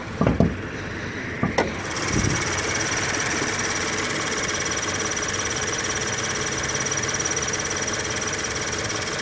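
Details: 2013 Scion FR-S petrol engine at 22,900 miles running steadily with a fast, fine cricket-like chirping ticking over the engine note.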